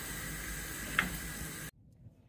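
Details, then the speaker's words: Newly installed cooker, grill burner checked after connection and drop test: soft, even gas hiss with a steady gentle roar and no popping or flutter, then a clean cut-off; nice bright blue flames, burner working normally. "I can't do the crew at the same time so let's just check the grill nice bright blue flames"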